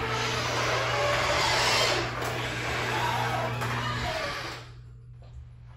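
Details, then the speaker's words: Garage door opening, before applying Blaster garage door lubricant: steady rumble with drawn-out squeals and rubbing inside and out; dry rollers, hinges and springs need lubrication. "as you just heard this door is very noisy you could hear it squeaking and everything as it went up from the inside and the outside just really bad"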